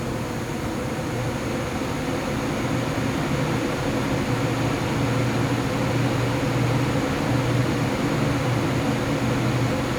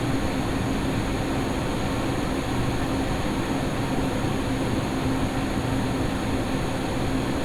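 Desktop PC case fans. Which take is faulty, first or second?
first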